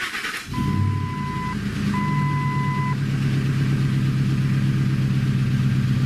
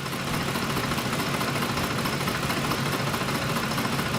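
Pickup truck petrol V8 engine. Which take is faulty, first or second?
second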